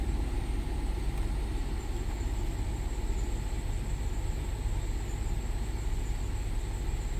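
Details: 2010 Lincoln MKS after replacing a clicking blend door actuator: steady engine idle and fan rumble as the HVAC changes modes, with no clicking from the dash; working normally.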